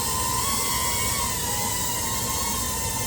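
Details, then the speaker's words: Older FPV drone flown indoors near an air conditioner: high motor whine wavering up and down in pitch as throttle corrects for AC air turbulence; motors sound healthy. "The AC is on. You can hear the motors changing pitch."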